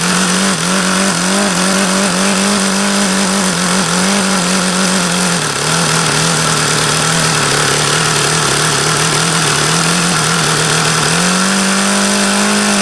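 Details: HP VT 21 rotary-valve four-stroke engine: high buzzing note that wavers and sags unevenly; owner says everything indicates the low-speed mixture is still rich, despite leaning it.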